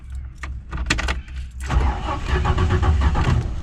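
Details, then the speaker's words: Classic Ford Falcon with a Holley carburetor, sat parked for years: the starter churns the engine in uneven lumps for a couple of seconds but it never fires even after a throttle squeeze. Crank, no start; accelerator pump not delivering fuel. "so the issue she's having is a pretty simple one she won't start with old-school carbureted cars you usually give it one squeeze on the throttle and then hit the key"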